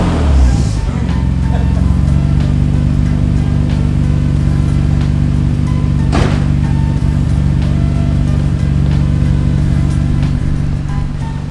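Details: 1991 Nissan Skyline GTR R32 after its Jasma exhaust was fixed: deep, even, steady drone with no rasp, rattle or popping; smooth, normal exhaust note.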